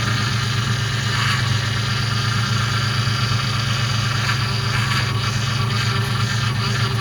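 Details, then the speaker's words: Ford Mustang GT first start after power steering and coolant work: constant whine over the idle drone grows louder after running; owner suspects an air bubble trapped in the power steering pump. "so you can see that the pump started to make even more noise after it was running for a second and a lot of times I believe that's an air bubble that's trapped in there"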